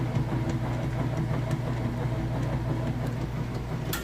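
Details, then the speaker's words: Kenmore top-load washer in the wash cycle with a load of clothes: steady low motor hum with soft even churning, no knocking or grinding; normal agitation. "alright we moved into the agitation portion that you can hear it agitating"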